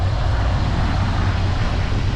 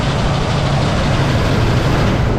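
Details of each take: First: 1963 Pontiac Catalina 389 V8, not run for 12 years, revived: deep, even burble at idle, steady with no misses, knocks or ticks, warming up with oil pressure; some blow-by noted; running well. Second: 1963 Pontiac Catalina 389 hardtop, not run in 12 years, first runs on a cold day: deep uneven idle that lopes and stumbles; rough running from carburetor flooding, found to be a stuck needle and seat and a vented fuel line.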